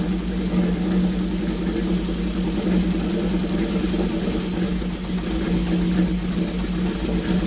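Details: Classic Honda CB750 four-cylinder, sat for years, revived with filed points, new coil, cleaned carbs and fresh oil (slightly overfilled, venting from overflow); idles and revs smoothly and evenly on all cylinders, no misses or knocks, runs great.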